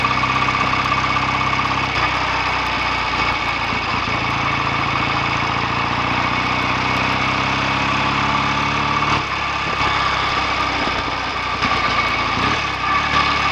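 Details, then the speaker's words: BSA A65 twin after a roughly 6-mile test run, following tightened clutch springs to stop clutch slip and cleaned carbs and spark plugs to cure a misfire; steady, even tickover with no misses, exhaust clean, running normally. "Exhaust is nice and clean now, settling down nicely. I think perhaps it's ready to go home after all."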